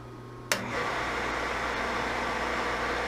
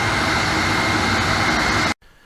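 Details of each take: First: Boyar Schultz machine being refurbished, first power-up on a rotary phase converter: spindle motor starts sharply then hums steadily but a bit noisy; no vibration felt at the spindle, so spindle bearings seem fine. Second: Boyar Schultz machine under refurbishment, powered via rotary phase converter: dust collector blower motor runs with a steady loud whooshing roar and even whir, no rattles or scraping; works fine.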